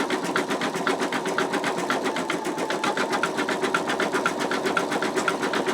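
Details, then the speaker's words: Embroidery machine stitching an in-the-hoop wallet design: steady needle tapping at about two strokes a second, even and crisp with no knocks or snags; normal stitching. "I am really happy with the stitching so far I'm going to pray that it continues doing well"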